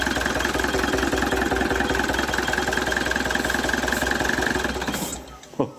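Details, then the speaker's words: Opel Vectra C Z19DTH diesel, fuel pump module replaced with a donor unit after sludge found: engine self-starts but chugs unevenly, about two to three pulses a second, then stalls. Running on two cylinders. "Замінили колбу, бачите, вона сама запустилась, працює. На двух циліндрах"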